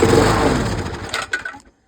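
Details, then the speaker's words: Dump-rescued Mountfield LS45 mower with Briggs & Stratton engine, good spark, started on a squirt of primer fuel: catches and chugs unevenly under two seconds then sputters out; runs only when primed, replacement carburettor planned. "That's worth saving. So if we prime it, it will run, but it's quite a mess."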